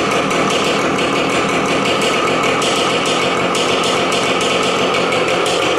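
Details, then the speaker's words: 18-year-old Yamaha RT100 two-stroke, cold start with no muffler fitted: sharp, rapid, crackling popping, steady and even; engine running cleanly from cold with open exhaust. "At the moment, I do not even have anything on it. So you'll hear it. Should sound pretty good, and then I'll put these on and show you."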